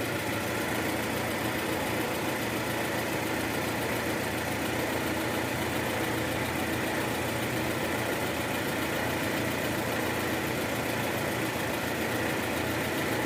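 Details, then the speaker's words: 2013 Toyota Alphard, 2AZ-FE engine, heard with a stethoscope after replacing the destroyed balancer shaft whose gear had failed: smooth, even idle, no rough rattle or knock; earlier roughness confirmed as the balancer shaft; normal idle. "oke sekarang suara mesin jauh lebih halus jadi memang penyebab suara kasar di awal tadi itu adalah balancer shaft yang udah hancur"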